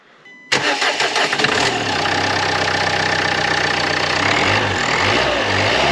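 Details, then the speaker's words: Dacia Duster 1.5 dCi diesel after replacing a boost hose (reinforced) and cleaning the EGR valve, earlier air noise after hard acceleration: catches and settles into a steady, even idle with no hiss; noise gone, repaired. "C'est bon, il n'y a plus le bruit, c'est réparé."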